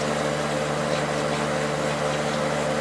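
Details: Late-90s Whirlpool Accudry 40-pint dehumidifier (reciprocating compressor, Emerson fan motor), about 10 minutes running: steady, even compressor hum with smooth fan rush, no knocking; evaporator coil cold with condensation, not frosted; running normally.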